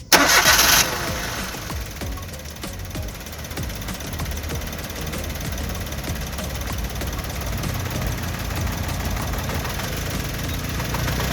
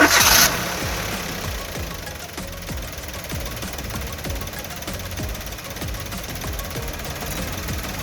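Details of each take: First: 3-cylinder petrol car with one spark plug wire disconnected to disable a cylinder: it cranks, catches and settles into an uneven, lumpy idle with more vibration and a lag on acceleration, simulating a spark plug misfire. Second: Three-cylinder petrol car idling steadily and evenly with all 3 cylinders working, recorded as a baseline before a spark plug wire is disconnected; normal idle.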